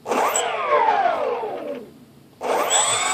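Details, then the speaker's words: Tian Sheng Airbus A380 RC model EDF motor test, throttle cut off: high fan whine spools down and dies near two seconds then snaps back, power cutting in and out from a bad solder joint on an ESC/motor connector. "Did you hear it stop? Now it's working. Now it's not. Bad solder joint right there."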